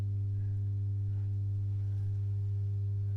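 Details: Masco M25N valve amp, poorly re-capped, on current limiter: constant low buzzy hum, unchanging; mains hum from insufficient filter capacitance.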